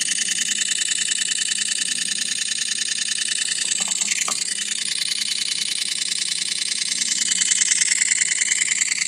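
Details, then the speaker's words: iPhone 8 under a month old after taking a photo: sharp light clicks about three a second continue nonstop, like a stuck camera shutter; cause unknown, later stopped. "It's still clicking. It sounds like a shutter on a camera going over and over and over again."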